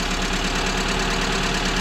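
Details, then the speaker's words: VAZ 2170 Priora petrol engine idling, oil low: rapid regular hollow knock often mistaken for hydraulic lifters, piston slap; owner plans to replace the pistons. "вот так говорят вот такой бряк стоит вот такой обряд вам кажется тут компенсаторы конденсаторы"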